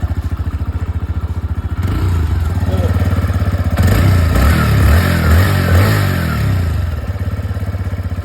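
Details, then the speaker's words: TVS Raider 125 motorcycle, over 1.5 years old, warm after 2–3 km of riding: even single-cylinder thumps at idle that grow busier when revved, then settle; normal warm-engine sound, slightly changed when hot. "देखो ये मेरी bike है ना normal sound है। अभी मतलब अभी मेरी बाइक दो या 3 कि.मी. चली है। लेकिन मेरी बाइक की साउंड बिल्कुल थोड़ी बहुत चेंज हुई है।"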